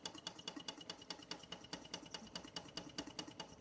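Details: Bing 10/110 poppet valve steam engine on its original spirit burner, first run in months: quick, even chuff-and-click a few times a second with a crisp valve tick, no stumbles, condensation cleared, under 1 bar (about 10 psi); running cleanly.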